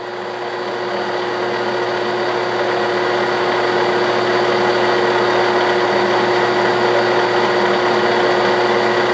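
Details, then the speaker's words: 1967/68 Clausing Colchester 1340 lathe taking a heavy 0.060 in diameter cut on a steel hydraulic-shaft button: a steady, smooth, even hum with no knocks or chatter. The lathe is running quiet and healthy. "making a pretty good chip not a bad little machine nice and quiet"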